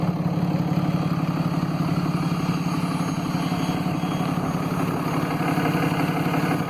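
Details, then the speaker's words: 2012 RAM diesel, 82,000 miles, suspected failing VGT turbo with code P2262: at idle a loud vacuum-cleaner-like turbo whoosh rides over the clatter. Idle boost reads 0.5; the cause is suspected, not confirmed. "ever heard the turbo at idle and now it sounds like a Hoover vacuum cleaner"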